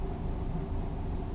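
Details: Lada Niva 4x4 idling after the crankshaft position sensor was cleaned of dirt. Low, smooth, even rumble with no stumble, knock or hunting. Normal idle, with the check engine light now off.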